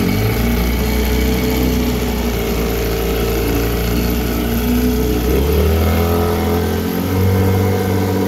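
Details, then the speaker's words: 1974 Johnson 15 hp two-stroke outboard on a 16 ft boat, pond test after a new fuel line, plugs, gear oil, water-pump impeller and carb tuning. A smooth, even drone picks up cleanly with throttle: normal running. "seems to be doing well i'll fire it up and take it for a run around and just to show you how it's doing"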